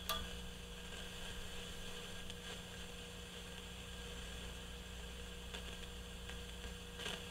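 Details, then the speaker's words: GE CX371 tube radio receiver amplifier/power supply probed with a signal tracer in noise mode: steady hum with faint irregular crackle and sharp pops from an intermittently noisy resistor. "uh they usually just go absolutely crazy when they're noisy so it has its moments again it's intermittent right"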